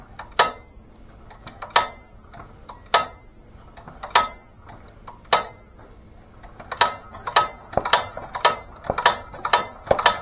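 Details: LA/LB engine, its head removed several times, warm day; irregular sharp pops and ticks with uneven gaps, not firing cleanly. Intake pulls good suction but the exhaust doesn't push out well; the owner plans to pull the head.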